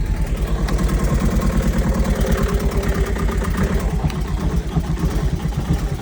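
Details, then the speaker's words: Truck engine at idle: low, lumpy idle with uneven tapping about three per second following engine speed; noisy lifter knock. "hhm [Muzică] auzi laia bate tacul h Oh"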